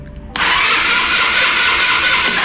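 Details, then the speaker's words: Italika TRN-150 motorcycle that stopped starting, with no spark; cranked with little or no throttle, a steady starter whir with no firing pulses; it cranks fine but never catches. "Pues marcha, como pueden ustedes checar, sí da, no enciende, fácil."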